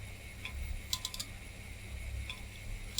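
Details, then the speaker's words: Failing 3.2 GB hard drive on a retro PC (M726 motherboard, PC100) makes sharp ticks in clusters of three or four about every second over a faint hum; drive detected, failure suspected. "doesn't sound happy help okay so the hard drive does not sound happy but this is obviously working"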